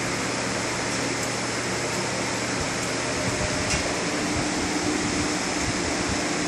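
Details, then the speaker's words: Waste oil furnace relit with the blower off and the system repressurized with the needle valve open: steady rushing burner noise, low hum drops out, then a faint steady tone; burner lights and runs normally. "All right, it lit up. So now I'm going to turn the oil all the way on and go back to running."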